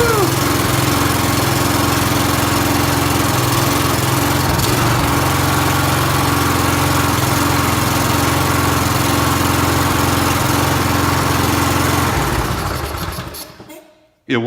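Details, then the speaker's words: Briggs & Stratton mower engine after carburetor cleaning holds a strong, even beat for about twelve seconds, then winds down cleanly at shutoff; earlier acting-up fixed, sounds healthy. "it fixed it so I didn't just clean up a little bit"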